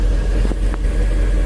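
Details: 2003 MerCruiser boat engine after no-start fixed by priming fuel to the rail, fuel pump drawing 8–9 amps, running about 15 minutes: short burst of steady low rumble with no misses or stumbles; running evenly.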